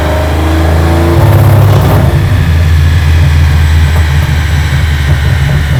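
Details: Aston Martin V12 Foxbody Mustang on the dyno, getting warm, at full throttle: deep roar breaks into a rough stuttering brrr as if hitting a brick wall, then evens out; suspected soft limiter or safety in the tune. Full-throttle stumble.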